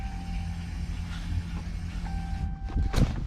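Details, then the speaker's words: Hellcat-swapped car, replaced fuel pump, fuel pressure gauge fitted: a steady mid-pitched hum runs a few seconds at key-on, then again on a second key cycle, filling the fuel lines; the pump primes normally. "There you go. That's what it should be doing. So pretty much what that just did is fill up all the fuel lines, so that when you do this, boom,"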